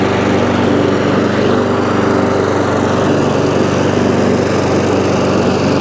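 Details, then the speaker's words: ATCO lawnmower with a cracked deck, single-cylinder engine running at a steady, even buzz with no misses or knocks. The drive engages, but it stops when the drive lever is released; owner suspects a worn or rusty drive cable. "so so it runs um however drive drive works but when you take the drive off it stops"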